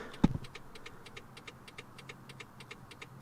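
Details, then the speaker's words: 2004 Toyota Corolla after fitting LED front turn-signal bulbs: quiet, fast, even ticking from the in-cabin flasher relay, about five per second, as the flasher reads the low-draw LEDs as a burned-out bulb; turn signal hyperflash. "turn signal is on you can see it's hyper flashing inside the car as well and if you listen real close you can hear the tick tick tick"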